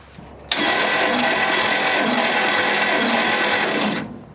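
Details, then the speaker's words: 1957 Dodge Sweptside D100 with factory V8, sitting over 50 years, cranked for a compression test. The starter churns fast and steadily for about three seconds without firing; readings of about 100 and about 40 come up. ">> Yeah. It's not not great, huh? >> No. Looking about 40."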